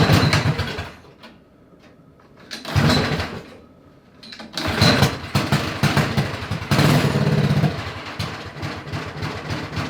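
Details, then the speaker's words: Honda 5HP overhead-cam engine on a yard go-kart, linkage redone and some parts bypassed: engine picks up in short bursts, then sags and nearly dies between them, still never settling to a steady idle. "Yeah, it still doesn't want to idle. It's good enough where we can take her for a rip, though."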